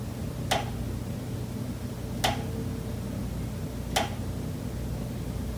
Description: Pipes behind the kitchen wall still knocking constantly day and night. This is audible through the entire kitchen and living area.